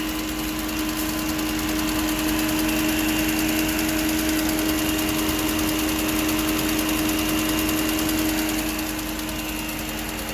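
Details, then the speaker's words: 2011 Mercedes-Benz during a pre-purchase inspection, before the test drive: a steady whooshing drone over a loud idle that never cycles off; the engine cooling fan runs constantly. Oil also failed its check. "as you can hear the engine is pretty loud and the fan is on all the time defend that I'm talking about is this one"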